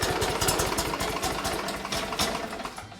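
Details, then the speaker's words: 2006 Mud Buddy HD Mini surface drive boat motor, 23 HP Briggs Vanguard, test run after prop refit, before replacing stock muffler: even lawnmower-like putter about four beats a second, steady firing, no knocks; sounds healthy. "It's gonna sound like a lawnmower."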